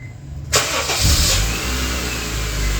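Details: Honda Civic after cleaning corroded battery terminals and recharging a several-years-old battery for a few hours: quiet, then a quick crank that catches at once into a steady, even idle, replacing the earlier rapid clicking no-crank. Normal start.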